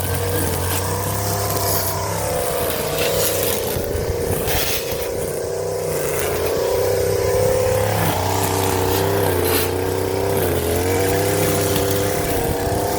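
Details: Stihl FS 56 RC trimmer after running 20:1 instead of 50:1 mix, muffler screen and spark plug cleaned: two-stroke buzzes cleanly, pitch rising and easing with throttle without sputtering; runs healthy.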